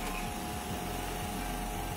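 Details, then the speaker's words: Electric fan, long unused and previously not spinning, after its motor wiring was reconnected and insulated, tested on speeds 1 to 3: quiet motor whir with a steady hum and faint whooshing sweeps, no scraping or buzzing; it spins up fine. "यह ठीक है, जब तक यहां हम मज़े कर सकते हैं क्योंकि यह काम करता है,"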